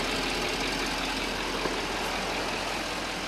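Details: Chevy Duramax diesel truck, after gasoline put in the diesel tank was pumped out and the fuel filter serviced. Diesel clatter at idle, steady and evenly paced with no stumbling or misses; it now runs cleanly.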